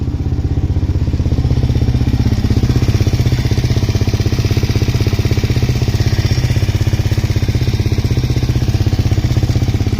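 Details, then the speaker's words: Suzuki LTZ400 quad after top-end work: single-cylinder thumps steadily about four beats a second, no misses or clatter, revs out well, no smoke; valve train slightly louder; healthy idle. "So it sounds pretty good. It's revving out really well. No smoke."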